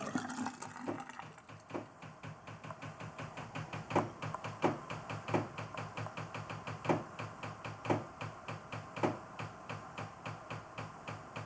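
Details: Knocking while the master bath sink hot water runs: irregular sharp knocks and ticks, one or two a second, as an unsupported hot pipe shifts and bangs against framing. The fix is a pipe hanger or padding where the pipe touches walls or the vent pipe.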